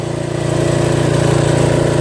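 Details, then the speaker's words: Toro Wheel Horse 825 riding mower, Briggs 8HP, after new battery, carburetor replacement and throttle linkage fix, riding at full throttle: steady even single-cylinder drone building slightly, no misses or surging; healthy. "Now we got full throttle. This thing really moves."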